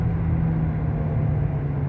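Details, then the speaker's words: Dodge Avenger, possibly 2012, while driving: steady low droning roar with a humming note underneath, like an airplane, seeming to come from the driver's side; worn front hub wheel bearing. The car also shakes when braking, possibly from warped discs. "bueno déjenme lo sigo checando muchachos nomás quería que escucharan ese ruido este ruido rumba dor"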